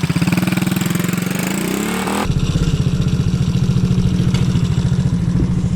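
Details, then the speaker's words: 110cc four-stroke pocket bike after fitting a cheap $15 Chinese carburettor: a brief blip settles into an even, steady putter with no hunting or stalling; it now idles cleanly instead of dying without constant revving. "How good's that? I can't believe it just sits there idling now without trying to drive away constantly and turning itself off."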